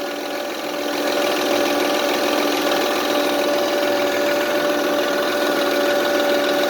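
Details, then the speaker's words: 2005 Honda Accord 3.0L at idle: steady high whirring tone above the engine hum from the power steering pump, caused by its hose sucking in air; left unfixed it could wear out the power steering. "so the longer I keep you running that won't this should be dropping one and you can hear this noise that whirling sound"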